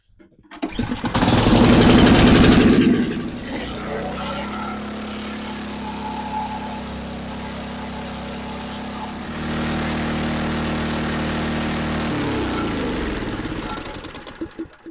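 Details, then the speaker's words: Ariens Compact 24 snowblower after carburettor cleaning: the engine catches and holds a fast, high idle that won't drop. Cause was a bent plate that left the governor arm stuck. "Once I finished cleaning the carb, the idle was really high, so pulled the tank off."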